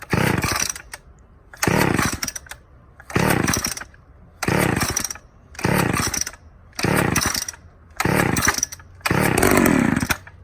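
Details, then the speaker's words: 1985 Homelite Super XL chainsaw, cold start after a year unused, half choke, leaky tank: about eight short revving bursts roughly every 1.5 seconds, each rising cleanly with a deep roar and no sputter; runs healthily. "Got a good roar to it. Deep sound for a chainsaw."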